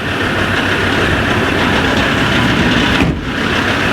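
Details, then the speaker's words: SsangYong Rodius with engine idling after topping up foaming power steering fluid, wheel being turned: steady loud idle with no whine or groan; the pump no longer makes its weird noise. "La pompe de direction assistée fait plus de bruit bizarre là."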